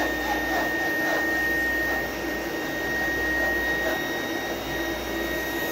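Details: Small "mini vac" vacuum with thin, steady high-pitched motor whine and little rush of air; airflow barely moving and barely felt, filter choked and starving the airflow.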